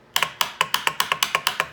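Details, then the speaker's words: 1995 Sea-Doo GTS that won't start: rapid sharp clicking with no cranking; cause unknown, owner had a suspicion. "clicks this is weird this is really fricken I have zero idea what it could be"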